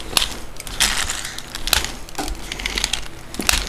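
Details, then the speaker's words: Traxxas Revo RC truck rolled on a table with all four tires down gives sharp irregular clicks about every half second from somewhere up front; it has lost drive power, the spur gear looks fine, and the owner suspects a bad gear. "I noticed when I roll it with all four tires on the ground, listen to this. I can get it to do it on this small table. Hear that clicking sound?"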